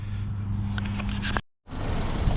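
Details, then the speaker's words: VW Jetta/Passat wagon after replacing a totally failed, heavily leaking rear main seal and refitting the clutch: smooth, even low idle with a steady tone and no knocks or misses, running good. "so we got her all back together seems like she's running good"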